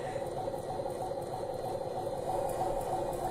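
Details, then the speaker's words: Motor drive in vibration analysis: the guard was pushed against the pulley, possibly by someone working nearby, and the pulley rubbed into it; steady scraping rasp repeats about three times a second with the drive running; pulley rubbing guard. "this is an example of a rub the pulley you know somehow the the guard got pushed against it maybe somebody was working near it and you know and and push it up against the pulley but you can see the pulley actually rubbed into the guard there"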